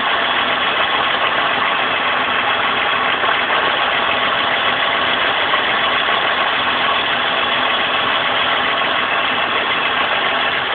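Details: VR6 petrol engine misfiring at idle after driving through a puddle, with an uneven, loping beat of about three to four pulses a second.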